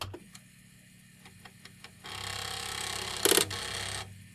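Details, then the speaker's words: Commodore 1541 floppy drive with the head stuck at track 42 after loading Karateka, which likely forces it there as copy protection: sharp, uneven ticks three to four a second, then buzzing as the initialize command pulls the head back. Working again afterwards. "it should become unstuck just because it tries I supposed to try as harder to pull the head away"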